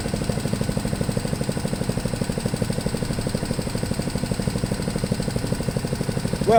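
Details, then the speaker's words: MTD push blower with Honda 5 hp single-cylinder engine, run after sitting 2+ years with old fuel dumped and fresh gas added, on the ground; even steady putt about three firings a second, no misses; normal idle. "like a honda it idles real well i want to turn up the idle a little bit on the uh high speed just a little bit it seems like it could run a little faster"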